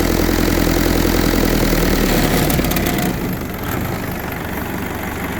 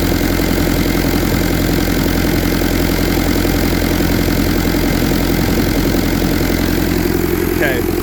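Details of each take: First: 1952 Willys M38 with a Kubota V2203 diesel swap, idle dropped from about 1100 to about 700 rpm: slower, lumpier diesel beat. The low idle shakes the hood and whole body a decent amount. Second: 1952 Willys M38 with a Kubota V2203 diesel swap, about 4000 miles, fast idle around 1100–1200 rpm on a digital tach: even, steady diesel clatter with no shake or uneven beats. Smooth, healthy high idle.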